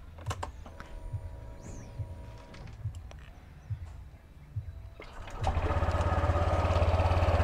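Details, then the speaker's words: Honda Click scooter after repairing a noisy torque drive bearing: a few light clicks at start, then a steady, even, quiet idle with no whine or grinding, noise gone. "Ayun kahit naka-cd start tahimik oh ayun So tahimik na tahimik mga paps tor tr bearing ang issue non"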